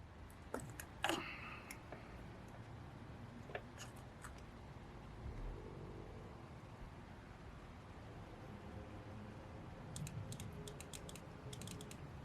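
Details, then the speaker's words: Suzuki Burgman scooter fuel injector pulsed with a good battery: faint, sharp ticks in short bursts; injector clicking and working. "Okay, that's perfect. It's clicking."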